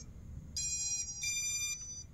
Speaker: okay so that was the startup music from the esc so the esc had a full reboot